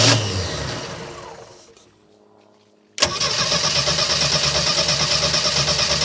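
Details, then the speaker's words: 1976 MerCruiser 120 hp that ran out of fuel, 3-gallon tank refilled with 2.5 gallons, mic near the starter: a long labouring crank fades out, then a fresh crank catches and settles into a steady run. Hard starting after running out of fuel. "let's just see if it ran out of fuel how many how much time turning it over will it take to uh get it running"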